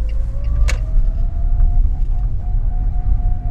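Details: Lada Kalina 2192, fully loaded, coasting around 30 km/h after an improvised repair of an underbody rattle: low tyre and road rumble with a faint steady tone, no rattling or clatter remaining.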